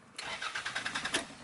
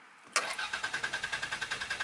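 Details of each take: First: Car starter motor whirs in a quick, even rhythm for about a second, revving slightly but never catching or firing; cranks but won't start, starter motor suspected, not confirmed. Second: Normal starter cranking with the park block cables removed so the engine cannot fire: even, steady cranking at about ten beats a second for two seconds, no grinding or slipping; starter working fine, engine not starting.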